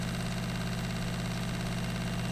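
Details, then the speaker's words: VW LT35 camper van water pump, after setting the drain button closed, pressurizing the new plumbing: steady low hum with faint buzz at even pitch; pump running normally while checking for leaks. "We should get some noise once again from the pump. And if it pressurizes, it should stop."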